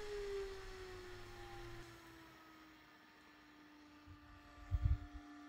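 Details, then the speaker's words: DC brushless computer fan for a mushroom fruiting chamber, run through a plug pack and speed controller. A clear whirring tone glides steadily lower from loud full speed toward about half speed, with no buzzing or rubbing; full speed is loud. "So this is at about half speed and compare that to the noise for when we've got it at full speed."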